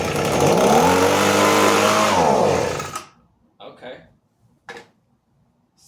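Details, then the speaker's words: Echo ES-250 leaf blower/vacuum, carburetor and spark plug already replaced by the seller: two-stroke revs for about three seconds, pitch sags, then cuts out; starts and dies because the safety interlock switch isn't properly depressed. "starts and dies real quick. Maybe it'll run at idle. Maybe the highspeed jet is clogged."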